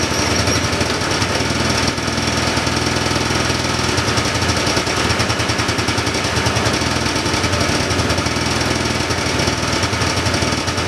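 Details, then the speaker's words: 1979 John Deere Cyclone 340 two-stroke snowmobile, revived after sitting: fast, ragged buzz that never settles and only keeps running on choke. Runs on fuel beyond starting fluid and the pump works, but little fuel is drawn. Owner suspects fuel starvation. "well she was definitely running on more than starting fluid that time I was pulling fuel from the tank though it didn't look like I was pulling a lot so the fuel pump is definitely working I was running it with the choke on there at the end"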